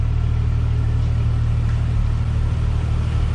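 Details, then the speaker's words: 1998 Jeep Cherokee XJ inline-six after crankshaft position sensor replacement: steady, even low idle with a smooth rumble and no stumbles; the occasional idle miss it normally had is gone. "sounds good no more Miss well it fought me every step of the way but I can say that uh that definitely made a difference on the Mist"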